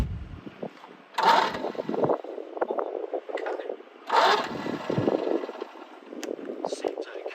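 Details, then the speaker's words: Citroën 2CV abandoned for 7 years, cranked over with the fuel line removed; starter churns the engine in short even bursts with no knocks, scrapes or binding, engine turns freely and strong spark clicking is heard. Normal cranking. "okay I didn't hear anything nasty there oh I just heard a um a spark if we just try that one more time see if we get a spark"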